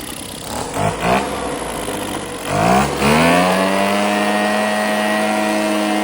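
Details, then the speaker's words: Husqvarna 130BT leaf blower two-stroke with aftermarket carburetor, no blower tubes or air filter fitted; sputters and picks up, then settles into a steady high drone, reaching full RPM unlike the earlier lean carb. Normal running. "Like it wouldn't get to full throttle, full RPM. Which this one is. We'll try it again. But it seems to be running pretty good."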